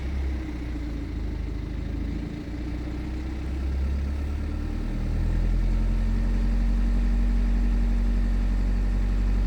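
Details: BMW 420d with B47 diesel idling cold: steady, fast rattle under the clatter that doesn't change with revs; timing chain noise, clearly audible during warm-up and much quieter once oil reaches 100 °C.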